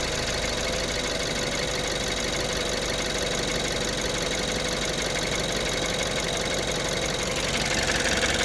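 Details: 2014 BMW 328i (built 06/14) N20 engine, cold start, idle and revs: busy rattling clatter riding on a steady idle, heavy in the upper range, typical of a worn, slapping timing chain.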